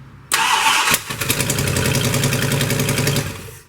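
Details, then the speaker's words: 1972 Plymouth Roadrunner 383 Magnum first start before cam break-in: V8 idles with sharp ticking puff each firing pulse, oil pressure about 25; exhaust leak, suspected from EGR port, not verified. "it's got a terrible exhaust leak and i haven't verified it yet but i'm thinking it is coming out of this egr port right here"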